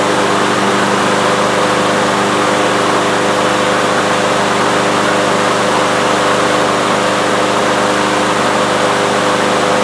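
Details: Troy-Bilt TB360 mower with a Briggs & Stratton Quantum engine, unused for 3 years and not starting, primed with starting fluid in the intake: a steady, even drone that holds without stalling or surging; starts and keeps running.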